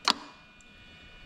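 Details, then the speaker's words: Toyota 1JZ-GTE VVT-i swapped into Altezza RS200 with plug-and-play harness; one sharp click as the AC compressor clutch pulls in, then faint hum; normal AC compressor clutch engagement. "i think you can actually have the clutch engaging on the engine i wonder if i can actually get you to see that just give me a second"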